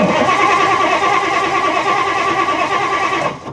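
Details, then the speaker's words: Classic 1960s Ford Thunderbird that sat 16 years, started with a screwdriver in place of the ignition: starter turns engine at a steady lope for about three seconds with no firing; no fuel coming from carburetor, fuel or spark not yet determined. "Okay, I don't want to do it too much, but starter works. Uh, it's not firing up, but I wouldn't expect it to."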